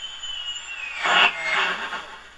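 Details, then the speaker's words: 1935 Silver Bell mystery radio after electrolytic and paper capacitor replacement; thin high whistle slides downward under rushing static, swelling as volume comes up: oscillation on the volume control, 10k resistor suspected of affecting the 66 tube's bias. "okay here's something on the volume it's going into oscillation"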